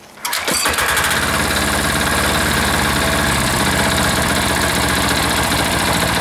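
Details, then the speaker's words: Freshly reassembled air-cooled diesel engine catches after a short crank and settles into a steady, even clatter with no misses or knocks; owner lets it sit and run, looking somewhat happy. Normal running. "oh I'm just going to let her sit there and run for a little bit and uh looks like it's somewhat happy sitting there"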